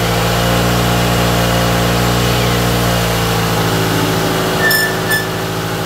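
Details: Toyota AE86 GTS running again after a cleaned, refurbished gas tank, new fuel pump and fuel filter were installed; first warm-up idle with slight smoke: steady, even idle, low smooth note, no misses, settling cleanly. Normal warm-up idle.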